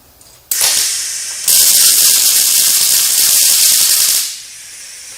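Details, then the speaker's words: Riland MIG 2000T multi-process welder on 2T mode with 30-gauge wire: harsh, crackling, stuttering arc hiss that never settles into a smooth sizzle. Wire feed speed is too fast, giving poor penetration. "okay so what's happening in here is the speed is way too fast let's go ahead and bump it down"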